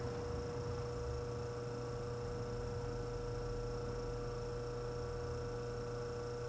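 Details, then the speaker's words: Antique Frigidaire 5400426 fridge compressor after service port install, rewiring and test refrigerant charge with a little oil: quiet constant hum, fixed tone, no clicking, rattling or cycling; current 3.2 A dropping to 2.3 A, evaporator cooling, running normally. "All right, I'm going for a start. Current's a little bit high, but it's running. Going down, that's good."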